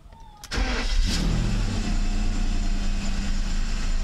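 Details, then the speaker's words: Mercedes 600SL V12, E-gas throttle control module tested before throttle body rebuild, not started for a few days; brief crank catches cleanly and settles into an even, steady idle; E-gas checked out OK. "let it stabilize the idol both start okay well that looks good to me"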